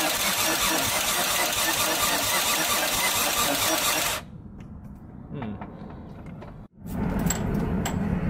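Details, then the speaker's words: Freshly rebuilt Nissan RB25 first start, crank angle sensor unplugged to prime the engine: starter turns the engine over evenly about four seconds without firing; no-start also traced to a forgotten unattached wire, then ran great. "so looks like we found one wire that wasn't attached I forgot it completely"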